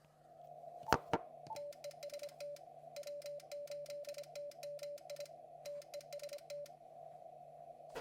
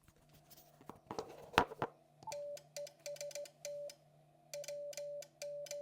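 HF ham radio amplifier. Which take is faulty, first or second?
second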